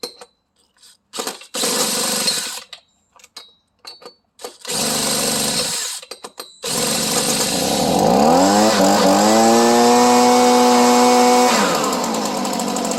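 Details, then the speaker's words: Stihl two-stroke started by drill on the starter nut, already slightly warm, in Florida; drill whirs, engine catches, revs high and settles into a steady even buzz; normal start and run. "So, and just for the record, that was already a little bit warm, but oftentimes, even when it's cold, of course, it's never really cold too much down here in Florida."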